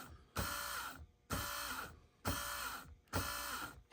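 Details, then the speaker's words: Honda TRX420 electric shift motor bench-tested: runs in short bursts with an erratic, wavering whir. Bushing and bearing were checked, so the noise is put down to a fault in the motor's internal electrical circuit, suspected cause of continued shifting problems. "That is actually caused by problems with the electrical circuit within this."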